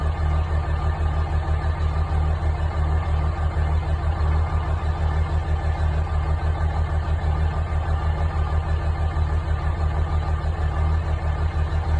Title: Dodge ram 5.9 Cummins CR cold start bad injector